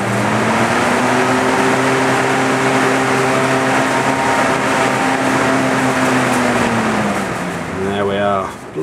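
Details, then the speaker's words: Duct fan rated 1280 RPM with a speed control, set to minimum: the motor spins up with a rising hum to a steady full-speed whoosh, then eases down smoothly to the preset slow speed, a normal start-up surge. "So it instantly goes to full speed, and then the speed control takes over and goes to the speed it was preset at."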